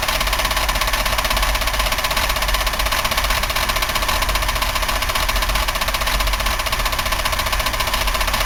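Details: 1990 Buick LeSabre 3800, front valve cover off, unknown mileage, ignition pack just swapped after one cylinder misfired: loud fast steady clatter over rough idle, heavy internal knock, bearing, lifter or rod not pinned down; oil spilling, engine considered trashed.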